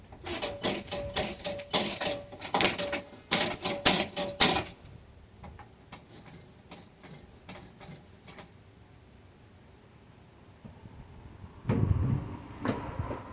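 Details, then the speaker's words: 1948 GMC Silversides PD3751 bus, old Trico air wiper motor after cleaning and re-greasing the stuck piston bore: quick sharp air clacks about two a second; wiper cycling too fast, needs backing off. "Okay, now it's too fast. You have to back it off some."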